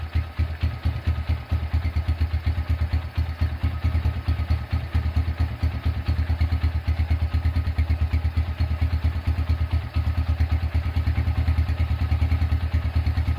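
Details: Honda Tiger single-cylinder engine after restoration, first start, broken exhaust bolt repaired and starter cable replaced: slow, even idle thump, every beat clean and steady with no knocks or rattles; idling smoothly.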